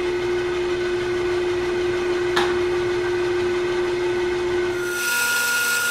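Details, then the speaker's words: Older underpowered bandsaw ripping big planks, guides set low: steady mid-pitched motor hum with one sharp pop as the blade loads up and vibrates side to side under the heavy rip cut. "I don't know if you can hear the hop in the video but there it is right there that is the blade loading up and then vibrating side to side you can't see it with the naked eye but it comes across as a pop"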